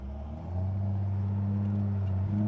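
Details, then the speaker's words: 1973 Datsun 240Z, back on the road after 2+ years, low on gas, accelerating on the road; deep, even exhaust note firming as throttle opens, smooth steady pitch, no knocks or misses; healthy six, sounds good. "Stretching its legs a little bit, man. Sounds good."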